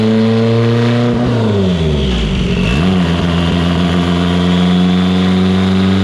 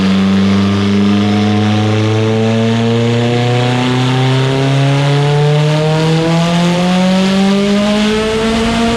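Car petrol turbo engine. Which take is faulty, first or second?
second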